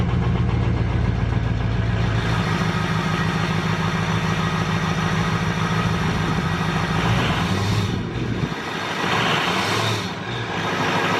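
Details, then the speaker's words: 2007 Ford F-250 Powerstroke diesel after MBRP 4-inch cat-delete exhaust install: deep steady idle rumble, brief change in note late, loud open exhaust, no ticking leak. Normal diesel idle and rev. "We're going to fire it up for the first time, see how she sounds, and then go through and double check all the clamp spots for any exhaust leaks or anything like that."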